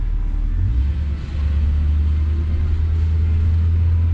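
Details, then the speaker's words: 1966 Ford Galaxie 500 convertible V8 after carb rebuild, fast idle 1250 rpm, cruising around 60 mph: smooth deep steady drone, no surging or stumbling; running perfectly. "i burned some gas in the car today and uh going to um take home put it in the garage it's running absolutely perfect"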